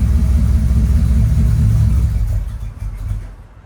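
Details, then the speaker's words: 1995 Mercedes W140 S500 V8 after converting the dual fuel pump setup to a single pump, having stalled earlier: deep, even rumble that settles and fades with no misses or stumbles; running cleanly. "well guys she is running beautifully now"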